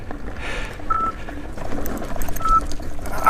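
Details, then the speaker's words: 84 V Nikola electric unicycle on a stressful climb, board about 47 °C: short sharp high beeps about every 1.5 s over wind noise, the overcurrent alarm under heavy load. MOSFETs later blew on Overheat Hill. "that is a stressful Hill and you as you could tell with all that the harms going off"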